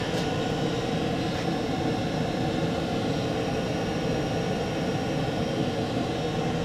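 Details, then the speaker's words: 2 kW Chinese diesel air heater at maximum output, drawing about 2 A, 67 dB, running very well: steady even roar of blower and burner with no pulsing or rattles; normal running. "we're getting between a EIT four degrees increase in temperature so the heat is running very well the sound"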